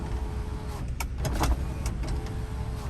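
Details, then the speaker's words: Power window on a 2001 Toyota Kijang Krista 2.0 EFI manual, 109,000 km: motor whirs through its travel twice, stopping cleanly without grinding; works normally though described as slightly noisy, suspected rust inside from rare use. "power window yang ya Kak suaranya agak bengi ya tapi nanti bisa saya perbaiki karena nih faktor jarang dipakai jadi agak berkarat ya dalamnya"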